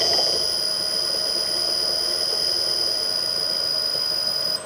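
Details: Millport/Bridgeport mill motor with rusted, worn-out bearings (6206Z bottom, 6205-2RS top); steady high-pitched whine and squeal throughout, then cutting off at the end.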